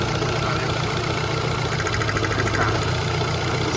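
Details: Ford Fiesta 1.6 with codes P0301 and P0303: uneven, lumpy, stumbling idle with a faint crackle. A spark test finds no spark at cylinder two, pointing to a failed output terminal on the ignition coil, causing the misfire.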